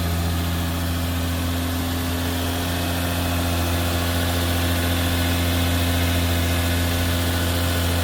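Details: Turbo Lexus IS300 on ECU Master Black standalone (plug-and-play harness, stock ECU runs automatic), injector dynamics ID 250 injectors: first cold start, smooth even idle hum with no knocks, misses or hunting; AFR rich at 10.5 then 12s; normal cold idle.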